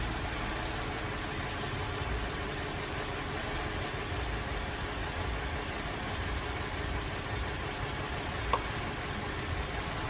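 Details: Holden VZ Adventra Alloytec V6 idling with a faint lumpy unevenness and no steady beat; misfire traced by unplugging coils to a dead number 5 ignition coil pack needing replacement.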